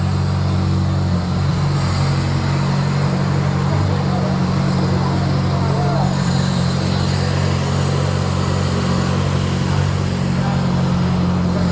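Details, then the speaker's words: Car after AC service with replaced compressor magnetic clutch: steady, smooth engine idle with AC on, no buzzing or rattling from the compressor anymore. "At first glance, there's no sound, yes, friends, this is finished, just finishing it, just make it neat , this has been tested too, so far it's safe,"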